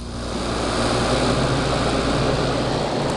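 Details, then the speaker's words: Air conditioner on the low setting: steady, loud rushing airflow with a low hum and no rattle or grind; loud fan noise, the unit simply runs noisier than it should. "i mean yeah on local it's not that loud but it's still loud"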